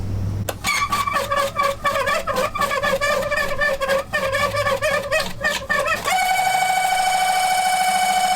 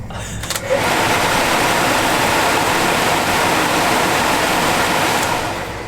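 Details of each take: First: Early Bronco aftermarket heater blower, not working for about 3 years, switched on: rapid ticking, then a loud steady high-pitched whine as the fan spins up. The owner hopes for a dirt dauber nest. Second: Early Bronco heater blower motor after lubricating with CRC Power Lube: steady even whir with no squeal or chatter over the airflow hiss. It previously sounded horrible and now sounds like new.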